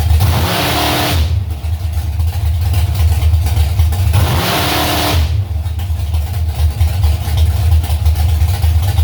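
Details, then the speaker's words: Carbureted engine, warmed up, just tuned (idle mixture screws out a quarter turn on all four): lumpy idle, two sharp revs breaking up near the top, stumble or miss around 3000 rpm; original plugs not yet swapped. "well now it seems like i got something new could use a little bit more snot bogging is bad when it could put in gear but right at around three grand it's like a stumble or a miss or something kind of weird there"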